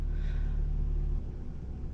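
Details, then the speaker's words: 2001 Toyota Camry 5S-FE after repair work on the cold-start fault, just after a cold start: deep steady idle hum that drops to a lower, softer note as the engine warms and revs settle; normal warm-up idle. "i guess i have some good news for the owner of the car so the engine warms up the rpms are going down"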